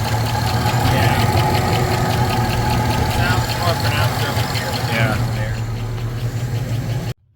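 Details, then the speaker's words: Supercharged 2008 Chevy Tahoe LS V8 with Edelbrock E-Force supercharger, noise began while driving: fast light ticking over a steady idle, louder on one side; owner suspects a lifter, not confirmed. "So, um know that's freaking uh valve or not valves. Um more than likely a lifter."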